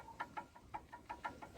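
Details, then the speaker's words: Lada Kalina electric power steering column removed on the bench: sharp dry clicks about six per second, the same knock heard while driving over bumps; adjusting nut tightening failed to remove the play. "Значить, що, от у нас стук такий, якщо чути, я не знаю, вам буде чи не чути."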